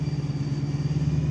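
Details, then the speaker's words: Abandoned V8 BMW M3 with 6-speed manual, first start on a fresh battery: low idle with a quick regular pulsing and a rough throb underneath; source unclear, clutch suspected since the noise is new and the clutch isn't working. "doesn't sound great it's got some noises but it's running I can't tell what that noise is"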